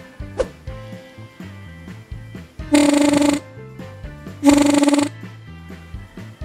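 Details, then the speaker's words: Yamaha F1ZR two-stroke reed valve (membran) after the petals were sanded flat and reset to seal tightly: blow test gives two short, loud, steady buzzes about half a second each; the sealed petals vibrate properly. "Harus benar-benar rapat supaya kalau ditiup bunyi. Tesnya itu ditiup."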